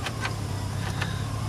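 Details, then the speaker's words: Chevy Silverado pickup, 210,000 miles, 4x4 working, brake lines needing repair; steady low even hum with no knocks or misses, faint clicks around it; motor runs good. Normal idle. "4x4 works motor runs good two hundred ten thousand miles"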